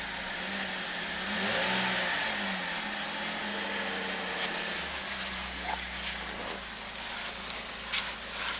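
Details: 2015 Holden VF Commodore SV6 sedan, LFX 3.6 V6 with auto transmission, 92,000 km, being wrecked at a parts yard; smooth even idle, tone climbs with a throttle blip and settles back, no knocks or rattles, normal idle and revving.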